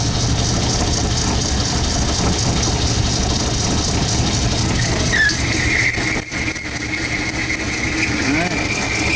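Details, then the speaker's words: Lathe boring hardened high-chrome steel for a horizontal mill arbor with a carbide insert boring bar set at 90 degrees on center: steady run, thin high squeal, then sharp snap as the bar bites in; too much contact suspected, insert still good. "Heard a snapping noise I didn't like. I think I made a little too much contact there."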